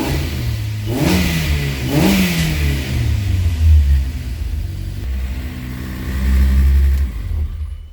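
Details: Honda K24 swapped into a CRX, now running with revs rising cleanly past the former 2,000 rpm limit and settling smoothly, no stumble or noise; idle RPMs a little high, no check engine light. Normal revving.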